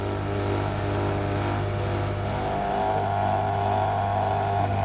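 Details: Outdoor AC condensing unit (hot coil) running: steady fan and compressor hum with a buzzing rattle; noise traced to fan vibration and a wire hitting the copper refrigerant pipe, pressing it silences it.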